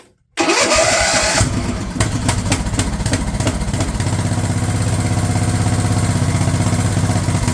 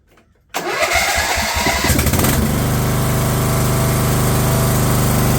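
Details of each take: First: Craftsman LT1000 riding mower/tractor, cranked with a previously rejected replacement starter, snaps into life then runs with an uneven, stumbling beat; the carb's fuel solenoid wire was found cut off, so the solenoid wasn't working. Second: Craftsman LT1000 lawn tractor after fitting a previously rebuilt Walbro carb in place of the poor-running aftermarket carb: starter churns, engine catches and settles to a steady even low drone without surging or sputtering; normal running.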